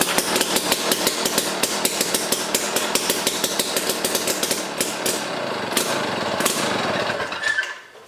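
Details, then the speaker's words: Jiffy Stealth STX 10-inch ice auger, 3 hp Tecumseh two-stroke, on old gas of unknown age, full choke: sharp uneven popping that weakens and dies away, very smoky; rough running, cause unconfirmed. "yeah it's smoky okay so that was on uh full choke i'm probably going to go through this thing definitely smoky very smoky"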